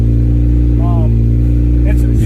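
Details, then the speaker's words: 1991 Acura Integra DA9 with a B20 running a B18 base map after an OBD1 conversion, warm: fast idle near 2000 rpm that won't drop with throttle cable adjustment and a check engine light on; cause not yet found. "you can hear this is jumping around right now it's idling almost at 2 000 RPMs and I've tried to manually like just loosen the throttle cable to like manually adjust idle and it's not doing anything"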